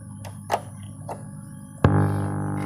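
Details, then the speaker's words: Power amplifier being built on an SOC 506 board gives a loud, steady mains hum with a buzzy edge once a balanced input kit is connected; it goes quiet when that input is disconnected. "Nah, jadi di dalam power amplifier ini ketika kita pasang input balan [musik] timbul noise dengung seperti itu."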